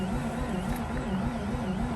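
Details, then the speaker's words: Mazda RX-8 rotary that has sat on 2-year-old fuel, refilled with 93 octane, possibly flooded, battery weakening: low, labored starter drone with wavering, dragging pitch, no firing; cranks slowly and won't start. "well nothing's happening it's spinning even slower you know guys"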